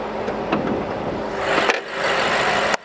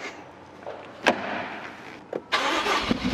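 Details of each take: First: 2018 BMW X6M after repair of a misfiring engine (cylinders 5–8, low compression), with valve lapping done: engine settles into a steady, calm idle with no misfire or knock amid shop noise; may run slightly rough until valves bed in. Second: 2018 BMW X6M V8 towed in with rough idle and low compression after spark plugs and coils were replaced elsewhere; it cranks and settles into an uneven idle, with misfires logged on cylinders 5, 6 and 7 and injection cut-off: burnt exhaust valve.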